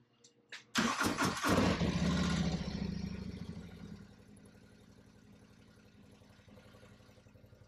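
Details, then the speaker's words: Harley-Davidson CVO, first start after a 3-hole oil change with Syn3 20W-50, at about 1,000 miles, in neutral: a short crank, then the V-twin catches and settles into a steady, even lope with clean firing pulses. Normal start and idle. "Right now she's saying, new oil! New oil! Yeah. Looking good. Looking good."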